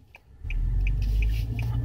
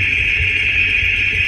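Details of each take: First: Steelman Chassis Ear microphone clipped on right front wheel bearing while driving, owner chasing front-end noise and vibration that worsens with speed: low, even rumble with faint steady tone, no grinding; sounds like normal rotor noise, braking heard. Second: Worn front wheel bearing heard at speed through a Steelman Chassis Ear clip-on microphone on the left and right front wheel bearings: a steady piercing hiss-like whine over a low rumble, with one side super quiet by comparison.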